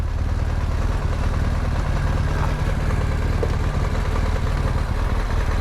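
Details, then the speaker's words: Yamaha MT-07 with one cylinder not firing: a low, lumpy, stumbling idle. The cylinder is suspected to have loaded up with fuel, possibly also in the intake, and it later backfired through the intake; a rough idle misfire. "I think that cylinder was full of fuel. Maybe. And it just kept filling it, and you probably got some in your intake too, because it's pushing it out both."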